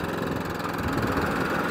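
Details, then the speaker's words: Atco Balmoral 14SK mower, Kawasaki engine, steady even chatter with constant tone, no misses or knocks; runs and drives normally, cutting cylinder only needs slight adjustment. "I can adjust that but drive works lovely it runs it drives"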